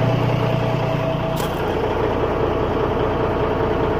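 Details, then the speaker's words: US semi truck pre-trip inspection with the brake pedal held down by a hammer and the engine idling: steady low diesel idle with no hiss from the air lines; the brake system is holding air. "И слушаем, не шипит ли ничего особенного. Тормоза горят. Идем к трейлеру. Тишина."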